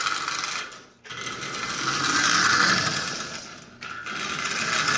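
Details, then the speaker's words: Marx 999 toy locomotive assembled from parts with standard pushrods: small motor whirring with a light, uneven tick as overlong pushrods tap the front crossbar. The fix is shortening the front pushrods about another 1/16 inch. "so I will pull the crossbar back off and shorten those front to the front of those push rods another I don't know sixteenth of an inch perhaps give myself plenty of room but you can hear it's slightly tapping the front of that crossbar"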